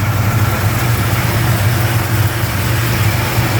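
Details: 1971 Plymouth Roadrunner V code 440 six-pack, cold start outside after showroom at about 55-60°F: deep, smooth, even V8 idle with steady rumble, no ticking, pinging or knocking; normal idle.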